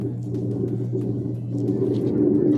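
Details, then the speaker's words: Whirlpool WTW8240YW0 washer with a bad tub bearing, spin cycle at low speed: a coarse, freight-train-like growl that ramps up as the tub spins. "now you can hear it ramping [Laughter] up and that sound is the sound of bad bearings so we're going to stop it"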